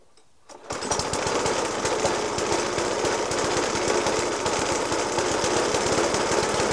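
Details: 1991-era Suffolk Punch 30S mower with Dellorto FCH 20 carb, after new spark plug, decoke and carb clean; single cylinder idling roughly, banging hard and unevenly three to four times a second; rough idle, cause not found.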